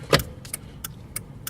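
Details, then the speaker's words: 2000 Jeep Cherokee after combination turn signal switch replacement, key in run: crisp, evenly spaced clicks about three per second in a quiet cabin; turn signals in each position and the hazards working normally. "the clicking my turn signal is working needs each position now the hazards are working"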